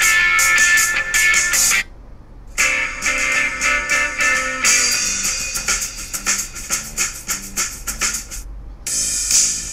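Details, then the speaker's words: MacBook Pro speaker after a 40-baht DIY repair plays guitar-and-drum music clearly, thin bass but no crackle; before the repair it distorted on bass-heavy tracks. "เอาเป็นว่าตอนนี้อาการเสียงแตกทั้งหมดหายไปเรียบร้อยนะครับเพราะว่าเปิดแทร็กหลายๆแทร็กที่ใช้อยู่ที่เคยเสียงแตกเนี่ยมันก็ไม่แตกแล้วนะ"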